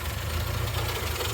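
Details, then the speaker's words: Morris Minor A-series engine, first start in 20–30 years after oil change and points, no choke: slow, lazy idle with a low, slightly uneven thump; idle low, missing on one cylinder from a loose plug lead, running on three. "idle's a bit low but then there's no choke sounds all right missing a little bit on one i think that plug there's coming off"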